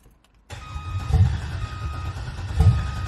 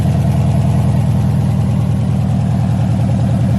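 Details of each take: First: 1986 Chevrolet El Camino with LS swap, swapped heads and cam, first start-up: low, slow cranking with fuel pump running that never catches; anti-theft (VATS) not deleted blocks firing. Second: LS-swapped 1986 El Camino, 5.3 with Camaro heads, cam and LS6 intake, first fire-up on open headers with no exhaust yet; loud, choppy lope at a steady rhythm with no knocks or misfires; normal idle of a cammed engine.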